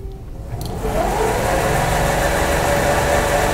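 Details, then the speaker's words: LabVolt synchronous motor started unexcited as an induction motor, running up to about 1437 RPM; smooth steady hum, no knocks or grinding: normal run-up. "so basically this is showing 1437 RPM um and now when I throw the exitation on you can hear it jump up to speed and now it's uh locked in sync at 1500 RPM"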